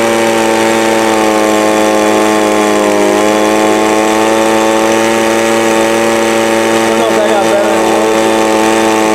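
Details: Two-stroke small engine, Walbro/Zama-type carb after needle adjustment by ear to cure a full-throttle bog: strong, clean, steady high buzz holding at full throttle without bogging, surging or popping; runs healthy.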